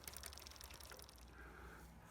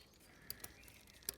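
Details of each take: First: Bicycle rear derailleur after tension and adjustment-screw tuning that cured gear hopping and a rattle: soft, even freewheel ticking and chain whir with no grinding or skipping. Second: Bicycle rear derailleur on a stand, shifting up from gear 7 with too little cable tension: sharp, irregular chain clicks over soft freewheel patter as the chain tries to shift; adding tension at the adjuster makes it step up.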